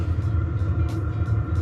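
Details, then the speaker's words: FF heater in a 1973 VW Type 2 camper, first start after manual fuel priming: fan starts, then the pump ticks about three times a second over a low steady burner rumble; ignites first try and blows warm air, running normally. "最初にファンが動いて多分ポンプが動き始めます。そうすると転下です。さ、ポンプが動いてゴゴゴゴゴゴゴゴゴゴゴって音がしてきましたよ。"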